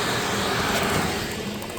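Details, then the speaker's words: Chinese diesel air heater with modified burn chamber and straight exhaust pipe, burning waste oil mixed with a third diesel, with a diesel-only cleaning cycle; running 5 days straight. Steady, even roar with no chugging or pulsing; combustion smooth and normal. "If you listen, you can actually hear the burn is quite smooth. Not chugging or anything else."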